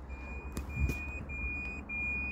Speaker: right i've been walking past these bins for days and uh there's a beeping noise coming out i didn't know where it's coming from